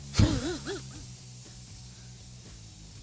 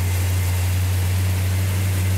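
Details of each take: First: 1972 Plymouth Duster 340 4-speed on first start attempt, cold, distributor position not yet set, fuel system empty: steady starter churning for about two and a half seconds with no firing; cranks but won't start because there's no fuel yet. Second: 1972 Duster 340 four-speed V8 at first start from cold, with the choke held and timing advanced slightly: a deep, steady rumble with an even low beat and no knocks or misses. The idle sounds healthy.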